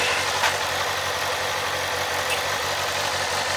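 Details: 2007 Kawasaki ZZR600, carbureted DOHC inline four, said to be mechanically tip-top with new fork seals, rubber and cush drive; exhaust took a hit. Steady, even idle with a smooth, unbroken exhaust note and no knocks or rattles. Normal warm idle.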